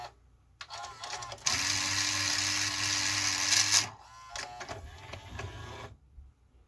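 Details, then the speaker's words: 1984 Toshiba Beta VCR V-S443C whose tape loading had been stopping intermittently, with dirty switches suspected. A dry loading motor whirs with gear chatter for a couple of seconds, then scattered clicks and clunks; it sounds atrocious and is judged to need lubrication. "definitely lubricate this this is just atrocious sounds like one of those Sony models"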